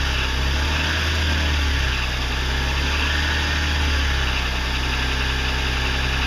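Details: 2006 BMW 330i E90 at idle: dull diesel-like clatter under the engine note; knocking began on cold starts six months ago and now occurs all the time; cause unknown.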